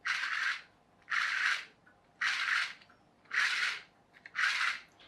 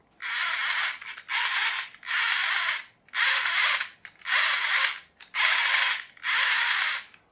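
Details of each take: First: Small 9-tooth plastic pinion gears turned by hand give soft rasping strokes about once a second. The better-matched gear sounds relatively quiet, with none of the clicking or rattling of the loose-fitting one. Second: Plastic pinion gear loosely meshing and turning: bursts of dry, rapid clicking and rattling from the loose fit; it is likely to slip and wear faster than a better-matched gear.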